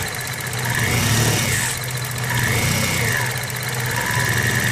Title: Bad alternator bearings.